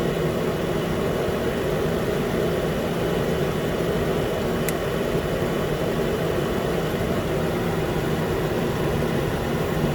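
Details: 2013 Nissan Pathfinder, 265k miles, after new AC clutch and serpentine belt, around 80 degrees: smooth even idle, steady hum, one light click of the new compressor clutch engaging; normal.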